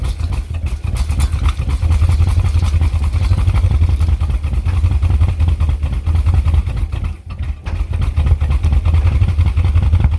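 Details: 1979 Ford F250 idle 25 years with water damage, run about 12 seconds on starting fluid: rough, loud run with hard rapid clattering knock and a brief dip; owner suspects starting fluid detonation and a carburetor problem.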